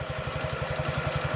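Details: 2017 Honda Ruckus NPS50 50cc four-stroke scooter, after cleaning and new spark plug, tachometer fitted: quick even low putter at idle, about eleven beats a second, no misses; normal idle though it dips low at times.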